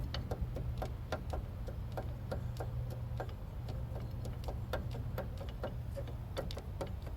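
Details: 2000 Jeep Cherokee front hub: light, fairly even tick about three per second over low rumble as it turns; owner suspects bad hub bearing and U-joint, also causing vibration; unconfirmed.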